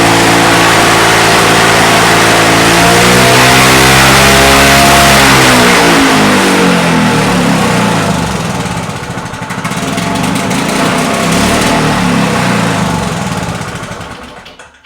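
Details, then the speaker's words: Victa Mustang 20 two-stroke lawnmower, roadside-dumped and neglected, decompressor apparently failed, first run after salvage: loud, uneven running with revs surging and sagging, smoking, then dies; rough running, cause unconfirmed, owner suspects a couple of issues. "now she look she's not running very well you can hear there and I think maybe got a couple of issues going on"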